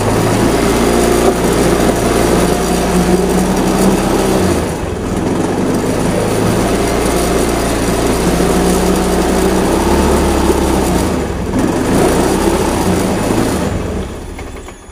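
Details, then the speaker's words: Honda Beat FI scooter stumbling when throttled: uneven sputtering idle that sags twice and dies near fourteen seconds; fuel pressure measured under 10 PSI, far below normal, so fuel system checked before throttle body service. "Well, just to keep it alive, it doesn't want the pressure, so we check it first for the full parts before we disassemble it for the tral body parts and we service everything else."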